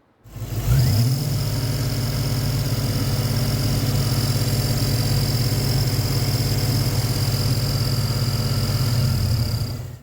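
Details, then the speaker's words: A 2000 Ford Explorer 5.0 V8 with a Meziere WP374 electric water pump, recorded before repair while the idler bushing was going bad. The engine runs with a thin, steady high whine over the low hum. "the first one coming up will be the bushing gone bad and then the next one will be the retainer ring issue which I just resolved here we go here is with the bushing going"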